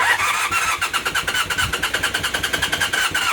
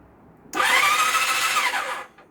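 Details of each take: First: Temporary twin engine in a project motorcycle, first startup with the rear silencer connected: rough, uneven running with a sharp puffing tick on each firing pulse, cutting out and restarting; exhaust leak at the header, plus vibration. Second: Temporary motorcycle engine swapped into a project bike, cranked with spark plugs removed after fixing a pulled starter-solenoid signal wire: short clean electric whir rising, holding, spinning down, no clicking or grinding; starter cranking freely.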